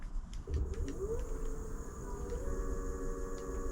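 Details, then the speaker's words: Electric scooter hub motor on thumb throttle after controller and display replacement: quiet electric whine climbs in pitch then holds steady, smooth with no grinding; only reaches about 10 km/h, which seems slow. "it works. It did only just go up to 10 mile an hour then, which, or 10 kilometers an hour, which is very slow."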